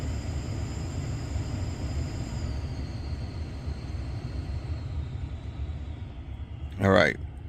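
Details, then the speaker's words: 2018 Dodge Ram 1500, failing blower motor before replacement: a thin, steady high-pitched squeal over low cabin rumble, easing slightly lower in pitch. "so got a little bit of a squeal here. Now, when it comes to blower motors, or when your AC or heat is not working, you have two things that could be bad: the wiring, the connector, or the blower motor."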